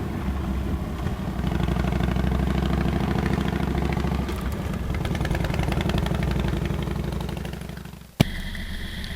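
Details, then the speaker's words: Motorcycle riding a larger practice oval: engine note falls under engine braking after a downshift to second with clutch slip, pulls up on throttle roll-on, dips at the upshift to third, then climbs again; normal riding. "Listen to the motorcycle. You can hear the engine braking, the roll on, and the upshift to third with continued roll"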